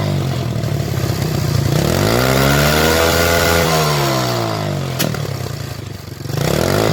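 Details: Motorcycle revved and let back down: crackling pops from the exhaust as it settles, backfire caused by an overly rich mixture, as the spark plug shows.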